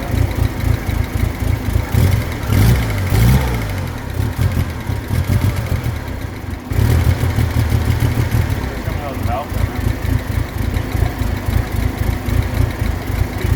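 Freshly started engine idling roughly with a light, fast tick riding over it that keeps pace with engine speed; source not pinned down. Cause suspected, not confirmed.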